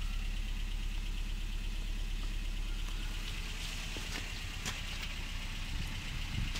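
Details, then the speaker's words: 2013 Honda Fit, code P0302 cylinder 2 misfire, flashing check engine light, no power on acceleration: rough uneven idle with irregular stumble about three times a second; cylinder 2 misfiring. "we have the p0302 code cylinder two misfire scored basically means the cylinder number two is not burning any fuel"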